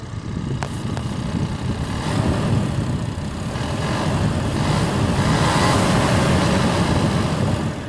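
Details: New 2020 Ford Ranger at about 310 miles, just after a cold start in 60°F weather, revving: a dense fast buzz/rattle over the rumble, traced by stethoscope to the direct-injection high-pressure fuel pump on top of the engine; it eases somewhat when warm but persists.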